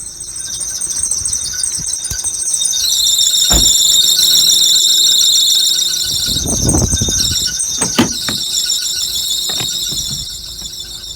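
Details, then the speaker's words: 2001–2005 Honda Civic running with a loud high-pitched screech that swells and stays harsh, a slipping alternator/serpentine belt. "you can hear the screeching now and it's gonna get a lot louder"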